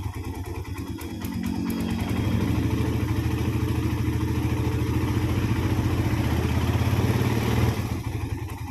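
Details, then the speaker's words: Suzuki Satria FU with a rough engine sound, worn timing chain and tensioner converted to manual: after oil circulates it settles into a steady, even idle with no ticking or chain rattle; smooth. "So now let's pay attention, so we can listen to the sound, then we'll try turning it. Is there a change in the sound or not? This is quite smooth for the sound."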